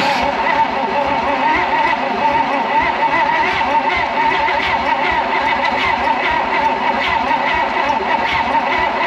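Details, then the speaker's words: 1956 Oldsmobile 88 that sat partly disassembled: steady, fast cranking that never catches or fires. Very low compression is suspected (no tester available), with ignition not yet confirmed. "kind of sounds like it wants to but man that sounds like it's got some super low [Music] compression"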